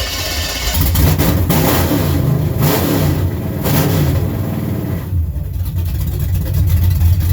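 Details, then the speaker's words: 1963 GMC farm truck with a replacement motor, being resurrected: loud, deep engine blipped up and down repeatedly, pulling cleanly with no knocks or misses; sounds good, possibly mildly cammed. "Sounds good. Holy Sounds pissed shit. off. Fucking responsible. Sound like it's cammed a little there almost."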